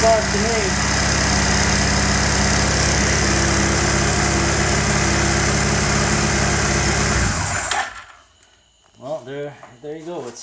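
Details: Warm motorcycle idling unevenly and lumpy, cylinder #2 dead and missing from the firing rhythm, then shutting off. A spark test with an Allen wrench in the plug wire showed a fat spark, so it is not electrical. A cylinder #2 carburetor problem is suspected.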